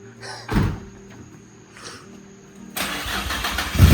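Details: 2007 Infiniti G35 Coupe after engine swap, first start (ECU possibly in limp mode): short crank catches cleanly and rises straight into a firm running note; normal start.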